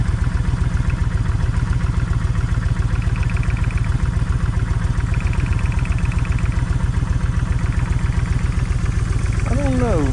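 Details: Kawasaki Vulcan 1600 V-twin, loud lumpy stumbling idle, a cylinder possibly misfiring; left cylinder's plug stays wet. Owner tests plug wires to tell bad coil from bad wire; still no difference.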